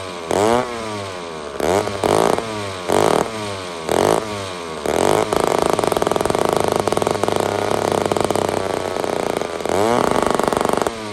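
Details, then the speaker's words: Old chainsaw with a removable head and a badly deteriorated carb, spark present, given a little fuel: catches in short revving bursts, runs ragged at speed, then sags off. Owner suspects a bad fuel system, possibly sucking air. "We got a FUBAR fuel system. We could be sucking air, which is a very, very possible."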